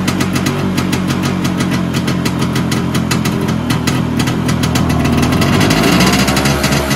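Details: Vespa PX 125 with a 177 kit, first start after a year: a restored engine with new bearings, piston, rings, lapped cylinder and 2.5% mix; loud, quick, slightly uneven two-stroke putter rising near the end; runs normally, and the owner says the idle needs raising.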